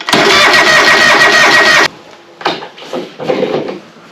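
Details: John Deere 425, sat a long time, cranking after hard-start relay fitted: nearly two seconds of steady cranking with no firing, then stops. Later traced to fouled spark plugs and a fuel cut-off solenoid on the carburetor.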